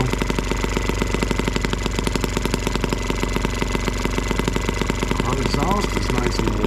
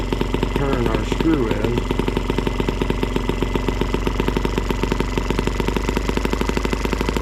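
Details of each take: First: M12B two-stroke engine running on camp fuel mixed with two-cycle oil as an alternative fuel, block warm: a rapid, uneven, burbling exhaust pop. The owner suspects it is running rich, and leaning the screw made a massive difference. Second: Small two-stroke (M12B) running on camp fuel mixed with two-cycle oil, warm: a steady, even buzz with regular firing. The owner thought it ran possibly rich, and leaning it out made a massive difference; now running smooth.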